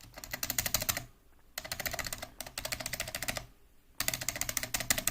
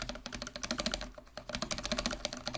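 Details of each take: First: Mechanical keyboard spacebar with unlubed Cherry-style stabilizer: rapid presses give sharp clacks with a loose, tinny rattle from the dry wire; fix is Permatex 81150 dielectric grease on the stabilizer. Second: Mechanical keyboard with Cherry-style stabilizers, spacebar lubed with Permatex 81150 dielectric grease: fast crisp typing with almost no rattle, unlike unlubed keys.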